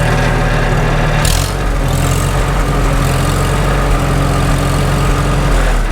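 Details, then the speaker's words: Farmall H tractor after sleeve repair, warmest yet, idling; steady low idle with a faint even whir, which the owner attributes to worn constant mesh gears at the front of the transmission, not the belly pump, whose drive coupling is removed. "I can tell we're probably going to end up replacing the constant mesh gears again in front of the transmission. That's that whir, whir, whir, whir you hear. It's not the belly pump."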